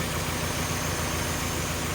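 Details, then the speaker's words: 1997 Mazda Miata misfiring again after broken valve repair: rough idle with uneven lumpy chuff instead of a steady beat and check engine light on. "Right now it's idling, but it's rough and it has a check engine"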